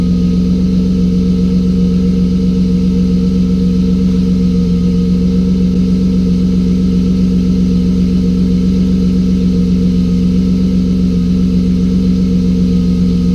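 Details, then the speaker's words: BMW drift car just after fixing an injector issue: smooth, constant idle with a steady low drone and faint even hum, no stumble or lope; runs clean and sounds good. "well she sounds good"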